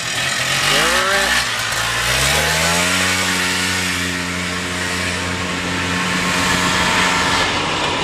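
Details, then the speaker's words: Polaris Xplorer two-stroke after fixing an oil leak that had starved it of 2-cycle oil for 21 years, pull-started: a crisp, ringing two-stroke that rises smoothly to a steady high buzz with no misses or rattles; the best it has ever run. "he sounds good not gonna lie that may be the first time that actual like two-stroke smoke has come out of the back of that thing [Music] that is by far the best she's ever run buddy by far"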